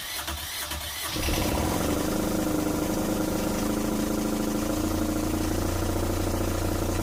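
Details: Newly installed Fischer Panda diesel genset in a Tiara boat, replacing an original locked up by water intrusion, on its first start after wiring and an antifreeze fill. It cranks briefly, then catches cleanly into a steady, even drone with no misses. It starts and runs healthy.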